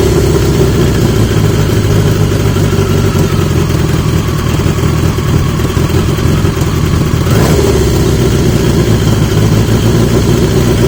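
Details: 1980 Yamaha XJ650 four-cylinder after fitting new (old) exhaust pipes; deep, even burble, steady and strong down low, no blowing or popping; much better, healthy running.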